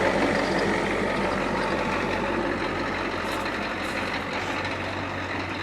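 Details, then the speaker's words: Yellow truck pulled from the weeds after long sitting, started after installing a new battery: steady, even idle with a low drone and no misses or knocks; runs healthy. "well I am stoked about this it's running just like he said he promised all it needed was a battery and he was right but she is running"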